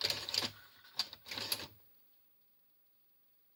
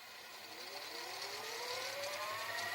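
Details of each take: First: Grandin 2-head multi-standard VCR, model 97, with a cassette inserted: stop-start clicking and whirring in bursts with dead pauses as the mechanism hunts erratically; mode switch problem suspected, with a cassette insertion fault. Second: Grandin 2-head VCR, model 97, after cleaning the mode switch and mechanism, in fast forward: a smooth whir climbing steadily in pitch as the tape spins up; fast forward runs cleanly and evenly.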